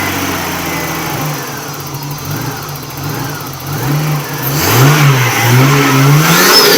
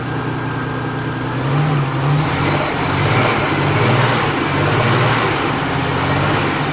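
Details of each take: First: Nissan R31 RB30 engine after a bad misfire, attributed to a dirty distributor: a smooth, even idle that rises cleanly through a few revs and settles back with no stumble, shake or miss. The misfire is gone and the engine runs normally. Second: Nissan R31 with an RB30 turbo six, idling unevenly with stumbles and dips about three times a second. Fine when cold, struggled once warm; oil pressure 50-60 psi on a rev. Misfire with rough idle, later thought to be a dirty distributor.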